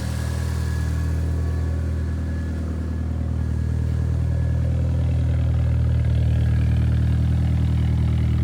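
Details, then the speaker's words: Mitsubishi 4G63-swapped automatic SW20 Toyota MR2, idling after a fuel hose was replaced: steady, even low idle, smooth rumble, no puffing or ticking; quieter, no longer sounds like a tractor. Normal idle. "Doesn't sound like a tractor. Well, a better sounding tractor. Quieter now."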